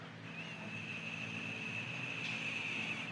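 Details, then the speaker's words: Old purge solenoid from a 2013 Ford F-150 with P0456 EVAP leak code, off the truck and blown through by mouth: about three seconds of steady thin airy whistle; valve stuck open, won't seal, replaced. "you can hear the air coming out of it, so you can tell it's stuck and it's not going to seal properly."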